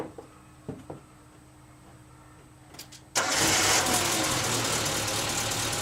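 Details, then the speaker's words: Suzuki Samurai started after welding a cracked catalytic converter/down pipe exhaust leak: a few quiet clicks, then the engine catches at once into a steady, even idle with no exhaust blowing or rattle; much quieter. "so that's the moment of truth she is quiet"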